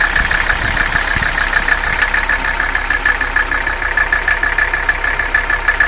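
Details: Mercedes 300CD diesel at idle: uneven, lumpy beat with faint irregular tapping over the clatter; rough idle and engine noise, cause undiagnosed.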